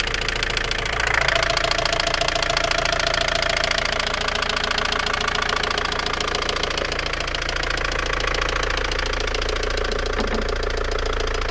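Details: Opel Vectra B engine at steady idle with a fairly regular light knock a bit over two per second on top; owner unsure what is knocking.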